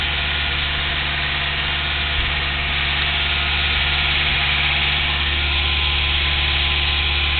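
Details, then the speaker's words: Engine idling near 1000 rpm, revs jump about 400 rpm on light pedal: sharp, fairly even tick, about three or four a second, over steady idle, plus occasional slight misfires; cause unknown. Engine ticking at idle. "curious if you can hear that. pretty nasty tick. It's just strange."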